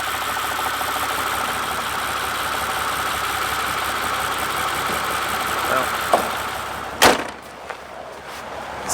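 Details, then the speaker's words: Mercedes CL65 AMG twin-turbo V12 on a 700-mile trip at -2 degrees, restarted after a key cycle at a gas station with a bad smell: uneven, lumpy idle with a few sharp bangs, still running really bad, likely misfiring. "try a key cycle go ahead and start it up again that still runs really bad"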